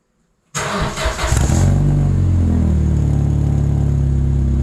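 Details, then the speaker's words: Vauxhall Corsa B Sport X16XE, no cat fitted: quick start into a deep, raspy, steady idle with crisp rev blips; sounds healthy, just a loud exhaust that pops and bangs. "so yeah it sounds good it's raspy uh when you take it out it pops and bangs and all of those osmo things that no one likes"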